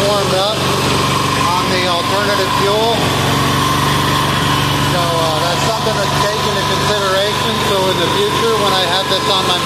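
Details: Amazon 186FA diesel at idle on filtered used synthetic motor oil fuel after starting on diesel; even, steady clatter with no misses or speed swings, smoking stops once warm. Normal idle.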